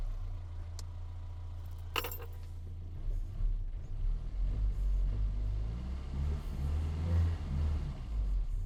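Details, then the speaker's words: 1984 Austin Mini, unrun for a couple of weeks, started after lubricating Lucas 45D distributor and fitting new cap: low idle wavering slightly, a little stumbly but no misses; not misfiring. Old leads and plugs still fitted. "Well, it works and it hasn't been run for a couple of weeks, so we'll forgive it being a little bit stumbly, but it's certainly not misfiring, so I'm quite happy."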